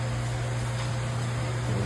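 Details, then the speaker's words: Vehicle after replacing a seized rear driveshaft U-joint that squeaked only in reverse: steady low drone with no squeak or creak forward or reverse; new joints move freely. "all new joints are in the front one moves nice and free back one moves nice and free all right dry shaft is in and we got no more squeak in either"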